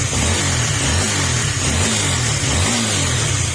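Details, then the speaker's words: Honda RS150 overhead-cam engine after aftermarket parts replaced with original ones: revved up, it holds smoothly and quietly with no top-end clatter. It previously clattered loudly when cold or hot. "Yan, tahimik din. Kahit sa pagbirit natin, hindi rin mahingi yung makina."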